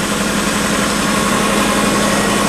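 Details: 1990 Subaru Legacy wagon parts car, about 188,700 miles, just driven 50 miles, idling in neutral, heard from inside the car: steady, even idle with a smooth hum and no knocks, misses or ticks; normal idle.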